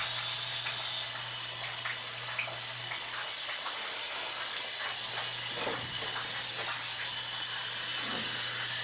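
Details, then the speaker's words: Hydronic hot-water heating zone with Taco circulator that had lost pressure, auto-feed not feeding: steady hiss with spitting and gurgling bursts as water and trapped air purge through drain hose; zone was airbound. "Sounds like it there, though. Yeah, it definitely had air in it."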